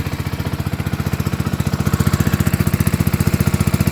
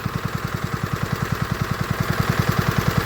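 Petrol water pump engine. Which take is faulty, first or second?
first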